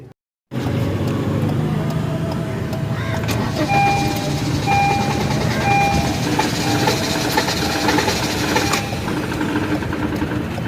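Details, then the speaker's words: Honda City (17–18 model) that cranked but wouldn't start: engine catches and runs rough, uneven and stumbling, misfiring and won't take revs. "یہ اسی طرح سے گاڑی مسنگ ا رہی ہے ریس نہیں لے رہی"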